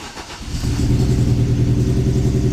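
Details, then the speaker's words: Opel Astra H Kombi 1.6 2006 105hp idling unevenly with a lumpy, stumbling beat and felt shaking; code P0302 cylinder two misfire returns after clearing with check engine light on, so a hardware fault, not software, is suspected. "صوت المحرك مبين عندي انه واقف عندي اسطواني، وما زال ضوء المحرك شغال وما زال عم بيعطيني العطل"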